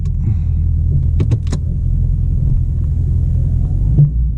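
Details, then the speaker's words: 2021 Mustang Mach 1 with 10R80 10-speed automatic, rebuilt under warranty, now at 21,000 miles, about 1,000 miles since the rebuild: steady cabin rumble under way broken by dull clunk on shifting, still clunking with harsh up- and downshifts in first and second. "did you hear that so there's still that clunking thing going on and uh the harsh downshifts and up shifts on one and [Music] two"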